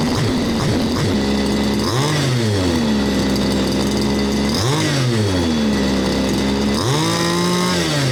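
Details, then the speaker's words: Baja 5th-scale RC small two-stroke engine (engine no. 2 of seven from Australia, age unknown), after repair with exhaust fitted, during tuning: steady idle, three quick clean blips rising and falling back to even tick-over; runs smooth, normal. "So it runs very smooth. You can hear the thing ticking over, tick, tick, tick, tick, tick. You rev it up, whap, tick, tick, tick, tick. It just ticks over."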